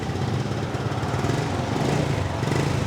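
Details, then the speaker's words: Restored used Honda Supra X 125 (125 cc underbone motorcycle), just started: even, steady single-cylinder putter with no knocks; engine very smooth, though starting still sounds a bit hesitant and the battery will be checked. "Masih agak ngek gitu. Ntar kita coba cek akinya deh ya. Ya. Tapi mesin sudah halus banget,"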